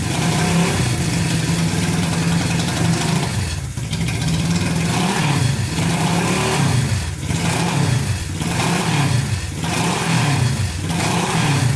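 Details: Barn-find Honda CB350 twin (listed as 1970 or 1974) just fired on first choked start after years sitting: keeps running only with repeated throttle, revs sag every couple of seconds, won't idle; needs dialing in, likely carb mixture, black smoke puffs.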